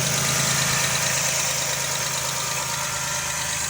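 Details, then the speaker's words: 2008 Dodge Grand Caravan with freshly rebuilt engine, zero miles since rebuild, no smoke: steady, even idle hum with a light regular tick on top, no knocks or misses; healthy engine. "As you can hear, it's got a great sounding motor. This motor has 0 miles on it. It's fresh."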